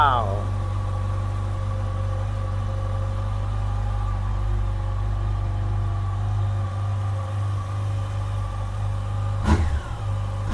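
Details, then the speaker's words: 2007 Yamaha FJR motorcycle, freshly installed replacement engine on first start: even, steady idle with smooth low hum and two brief clean throttle blips; owner says it sounds much better than the engine that was in it. "This sounds a lot better than the engine that was in it."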